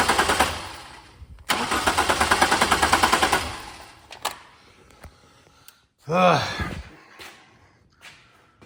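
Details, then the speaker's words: 2000 Chevrolet Camaro, wiring harness repairs in progress: two bursts of quick uneven starter chatter, about three beats a second, no firing; cranks but won't start. Owner suspects an electrical or wiring harness fault, not confirmed. "still not cranking or it's cranking but it's still not starting so try from here"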